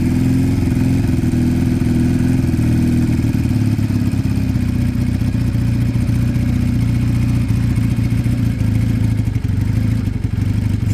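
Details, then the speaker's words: Piaggio Fly scooter after fixing two split pipes, no choke, idle being set while listening for hissing: idle rises and falls faintly, still hunting and staying high; owner suspects an air leak. "a little bit up and down there still still a tiny bit um got to be an Eary it's got to be but stays High"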